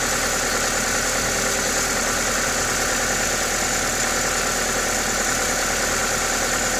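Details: Toyota 2ZZ-GE four-cylinder at normal idle: even, steady note with a strong airy hiss from the open induction kit, no knocks or ticks; healthy engine.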